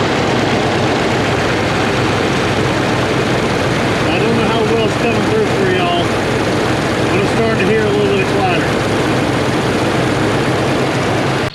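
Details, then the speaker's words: 1994 Dodge Dakota SLT V8 at idle, mic near valve cover: light fast tapping up top growing louder; valve train tick from low oil pressure, gauge reading none despite new pressure switch; owner thinks noise isn't new; fixed by new oil pump and pickup tube. "So, here's a story on the noise and why I don't think it's new. And it actually doesn't sound as bad as it did."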